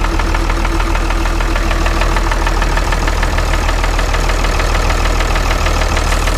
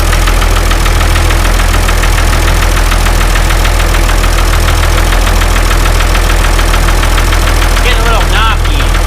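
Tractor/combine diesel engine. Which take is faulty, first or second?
second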